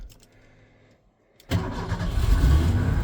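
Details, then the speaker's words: Old Ford truck, engine still hot from a recent run: quiet, then a quick crank, catches and settles into a steady, even low idle with no knocks; owner says it purrs; normal start and idle. "I mean, listen to that, girl. Just purr. Mint."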